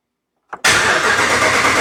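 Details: 2014 Ram 1500 4x4 5.7 V8 after oil pan replacement, cranked with the pedal floored so it won't fire, to build oil pressure first; a short click, then a steady, even starter churn with no firing.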